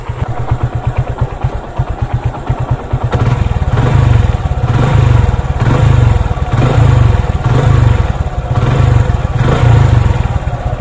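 Idling single-cylinder motorcycle with a light metallic clatter over the thump, from a loose, worn timing chain.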